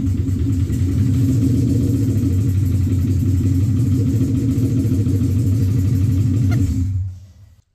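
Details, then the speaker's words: Infiniti M45 with a replacement VK45DE V8 (about 60k miles), first start after install: a very loud, deep, uneven rumble with a rev blip. It is running on open headers with no pipe fitted. A tick/knock was noticed later, after the pipe was fitted. Loud exhaust from open headers. "so when I turned it on it was really loud because it was just like the open headers"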